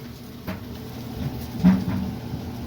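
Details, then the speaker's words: Whirlpool dryer model LEN2000KQ1 on low after the squeak repair: the drum turns with a smooth low rumble and a soft thump or two, no squeaking, and the heating element warms up. The dryer runs normally. "Hey, No hear no squeaking. That fantastic."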